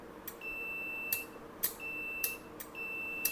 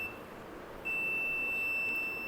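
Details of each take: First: Relay from an inverter AC outdoor PCB, bench-tested off-board with a 9 V battery and meter continuity: three clean beeps with clicks at each close and release; contacts close properly, relay is good. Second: Inverter AC outdoor PCB with a burned area near the relay section after a high-side to low-side short: the meter gives a steady continuous beep in continuity mode across low-side capacitors C18, C29, C89 and C105. They are shorted to ground, and the microcontroller is damaged and needs replacing.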